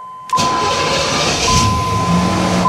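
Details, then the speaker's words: Chevrolet Caprice that ran rough for years, IAC and TPS confirmed working: restart with brief crank, check engine light goes off, smooth fast idle jumps to about 1100 rpm then settles near 900. "check engine light goes off it's running fast or you can hear it so it jumped up to 1100 and then there you go it's I don't know 900."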